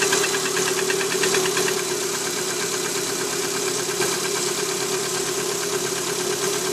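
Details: Lada Priora with the 126 engine, cold start at 10°C: a sharp, steady piston knock about three per second. The knock disappears when the coil is removed from the fourth cylinder.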